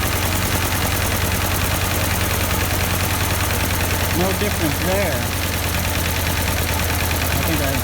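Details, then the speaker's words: 1952 Ford 8N tractor, not run for a few years: low, uneven idle with a missing beat. Compression check found number four cylinder dead with no compression, an oily plug and a stuck-open exhaust valve; a plug change and carburetor were suspected first. "well we just took a compression check of number four cylinder here and no compression at all and the plug was oily a little bit"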